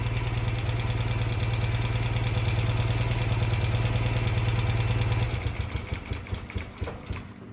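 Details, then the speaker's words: BMW motorcycle twin with carburetors, warmed up, during an idle drop test with spark removed from one cylinder. It runs on the other cylinder, stumbles into uneven chuffs and dies because the idle is too low to run on one cylinder. "So you can see the bike was running on one cylinder and then it died. So it was running on this cylinder? No, it was running on the other cylinder because this is the cylinder that I removed spark from."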